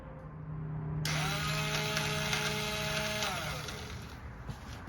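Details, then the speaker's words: ATV starter pressed after rewiring: a light, high-pitched whir spins up for about two seconds and winds down with no engine cranking. The starter chain inside the starter cover is broken, which sounds much like a broken timing chain. "It's actually a broken starter chain that's located right here inside the straighter cover, but I'm gonna show you what it sounds like right now. It almost sounds like a broken timing chain on a car, but listen."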